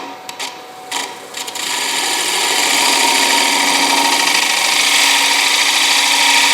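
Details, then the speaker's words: Light final gouge cut on a spalted, dried bowl on the lathe, with the edge freshly honed and the tool fed slowly: a steady, even hiss with no chatter or catches. A clean, quiet cut. "wood nice quiet cut all right i can live with that"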